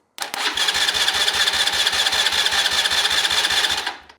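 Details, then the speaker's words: Neglected ATV that sat unused and won't crank; relay terminals jumped, starter turns quickly and evenly with no firing; starter good, relay/solenoid suspected bad and to be replaced. "There we go. So our starter's good, but I'm thinking we have a bad relay here."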